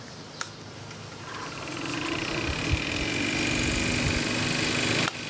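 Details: Mitsubishi compressor from a York AC unit, run alone on a VFD at about 40 Hz: smooth, steady motor hum climbing gently, no knocks or rattles, healthy; the star-wound motor tripped the VFD at 50 Hz.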